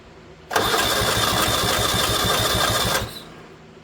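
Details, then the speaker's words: 1970 Honda 600 (N600) sedan engine with a freshly built carburetor fed by an emergency fuel line from a gas can: an even starter churn with no catch at all, cranks but won't fire. Spark at the points is checked next. "That's a no."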